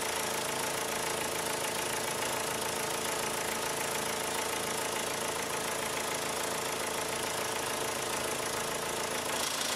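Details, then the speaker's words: 2002 VW Jetta 1.8T at idle, overdue for a timing belt: light metallic clacking of about three or four per second returns at idle after fading when revved; possibly a loose bracket flopping around, source not yet found. "you hear that dirty clacking again I don't know I'm gonna have to tear into a little deeper almost sounds like a loose bracket flopping around"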